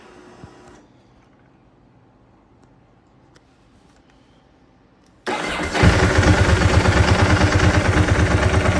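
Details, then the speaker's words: 2003 Ducati 999S, 7,600 miles, after fixing one-cylinder running caused by a clogged injector: engine catches and settles into a steady, even V-twin idle with no misfire; runs healthy. "crank it up show you how good it's running this bike has 7 600 miles on it"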